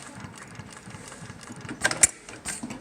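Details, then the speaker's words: Juki LU1510N-7 single-needle walking-foot industrial sewing machine, reverse lever pushed down to back-tack: light even patter with sharp clicks, no rough knocks; normal reverse stitching. "then I'm gonna push this lever down and now it's going backwards that's so that you can reinforce attack"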